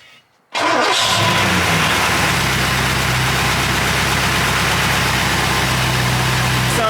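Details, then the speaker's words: Rebuilt Porsche 928 V8 just after oil change to better oil: cranks, catches at once and settles into a steady, even idle with no top-end tapping; sounds smooth and healthy. "all yeah sounding really good really smooth"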